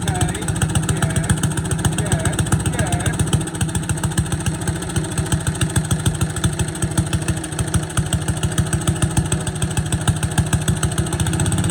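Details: Boland's 3.5 chipper shredder, unused for at least 20 years, running on its own gas tank without starting fluid, fuel line dripping slightly: small single chuffs along at a steady, slightly uneven idle with no knocking or rattling; running fine.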